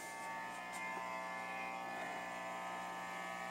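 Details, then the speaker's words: Guitar amp in home studio: steady thin electrical buzz with no rhythm behind the amp, unchanged when Wi-Fi unit unplugged; interference traced to an LG TV in the living room. "amazingly it turns out that this tv lg tv in the living room causes this noise here"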